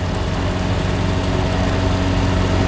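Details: Cheap airplane bought sight unseen: even, steady two-stroke drone at fixed speed, no stumbles; water temp rising; charging shows positive amp flow, battery a little low; normal running.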